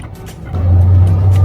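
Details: Porsche Cayenne reversing: steady low hum swells and holds, worst when reversing, also while driving at 30–60, present 4–5 months with some idle vibration; the steering rack was found faulty and removed.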